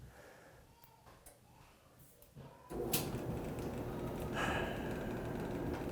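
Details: Electrolux dryer model EFME527UIW0 after removing a sock jamming the motor and reassembling the front panel: a few clicks, then the drum starts with a steady, even rumble and tumble and no squeal; running normally.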